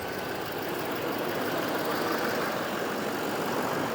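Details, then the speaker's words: Duramax LML diesel restarted after a head gasket replacement and a fuel leak repair: steady, even idle clatter with no miss or hunting; normal idle. "all right well it's running again it sounds good there's no miss or anything"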